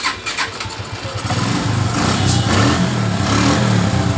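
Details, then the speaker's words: Suzuki Shogun R motorcycle after fixing total electrical failure (orange wire after ignition switch): catches within a second, then steady even single-cylinder idle with no misses; starts and runs normally. "hidup dengan normal"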